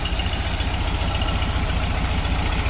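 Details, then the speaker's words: 1959 VW split-window bus, 36 hp air-cooled flat-four, Bosch starter cleaned and reinstalled, started on a weak recharged battery: steady low chuffing idle with an even beat and no knocks or misses, running smooth. "But I did charge it up enough to get the bus started, and as you can hear, it's purring like a 36 horsepower kitten."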